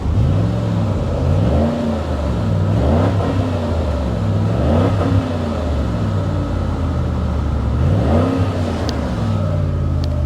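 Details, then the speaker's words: 1999 Ford Taurus SHO V8, just revived, three smooth blips from idle with deep throaty exhaust (possibly Flowmaster or Magnaflow), no knocks or misfires; normal revving. "Oh, that sounds pretty good. That sounds pretty good. Listen to this throaty exhaust."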